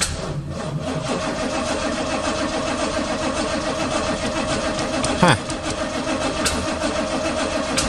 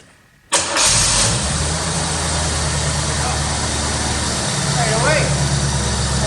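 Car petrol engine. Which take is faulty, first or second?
first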